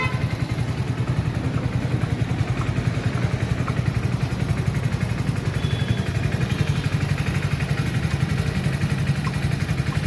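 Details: Hero HF Deluxe BS6 motorcycle after the fuel injector was refitted: an even, steady putter at about four beats a second with no misses. Normal idle; the earlier no-start was blamed on corroded or carboned injector wires.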